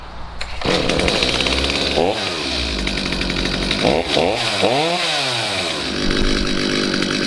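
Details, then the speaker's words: Stihl MS250C chainsaw after replacement with a new out-of-box carburetor, screws unadjusted: fires and settles into a steady two-stroke buzz, revving cleanly through several blips without bogging; normal running after repair. "basically it's just a brand new carb out of the box installed on the saw and usually they work perfectly just the way they are now"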